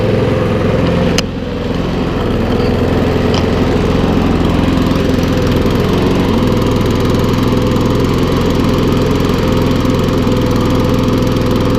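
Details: Briggs and Stratton lawnmower, a non-runner unused over two years, revived with little work: small single-cylinder engine holding steady, even drone at constant speed, no knocks or misses; runs healthy.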